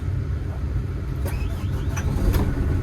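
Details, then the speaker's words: Develon DD130-7 dozer diesel idling after an oil change and fuel-system bleeding: an even, steady low rumble with a faint light tick and no knocks, misses or surging, running like a sewing machine. Normal healthy idle. "Ui, she's gone like a sewing machine, some would say. Ticking away. Everything sounds good."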